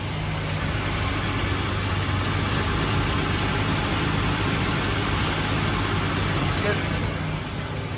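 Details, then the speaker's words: 1997 Ford Explorer 4.0L SOHC V6, just after an oil change with Motorcraft 5W-30 and FL1A filter. Steady, even smooth idle with no knocks or misses; normal. "At first, you'll hear the engine knock a little bit while there's no oil in the pistons, and then as it takes up the oil, it'll start to run smooth, just like it's doing now."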